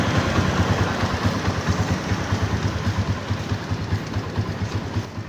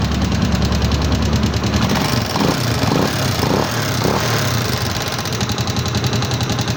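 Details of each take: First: Microbike EXT motorcycle after tune-up adjusting loose tappets that caused loud engine noise: even low idle putter with soft regular pulses and no top-end ticking; valvetrain now quiet and healthy. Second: Microbike EXT motorcycle idling before a tune-up, irritatingly noisy enough that the owner expected a teardown: fast, steady light ticking of three or four clicks a second over the idle. The tappets are adjusted during the tune-up that follows.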